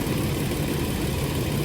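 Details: 2007 Toyota RAV4 after water pump replacement (old pump leaked coolant onto belt, pulley wobbled and was noisy): smooth, even low idle at normal operating temperature, no whine, squeal or knocking, no leaks or overheating; engine sounds healthy.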